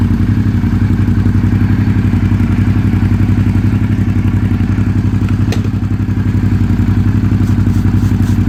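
Steady motorcycle idle with a sharp rhythmic clatter about three beats per second riding on each firing pulse, pointing to an exhaust leak. Cause suspected, not confirmed.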